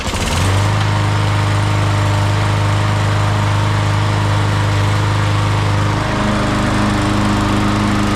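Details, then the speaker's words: MTD push mower with Briggs & Stratton 550E engine that blew oil everywhere and quit: fires and holds a steady, slightly uneven drone, pitch dropping near the end; runs after oil loss, cause unknown. "Runs. Well, I tell you, those are some resilient little engines."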